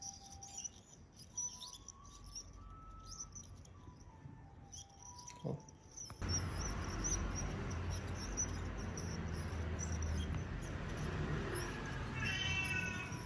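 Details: Bicycle wheelset: faint, quick bird-like chirps repeating as the wheel spins, first mistaken for bottom bracket noise; caused by the freehub (cassette body) bearing, cured by replacing the bearing.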